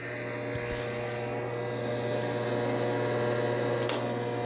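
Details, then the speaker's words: Willys CJ2A Jeep, sat about a year: steady low electric hum with no cranking when bypassing the relay; starter energised but not turning the engine, pointing to the starter. Cleaned ground and jumped power to the starter, same result. "It's the starter. Yeah. Okay."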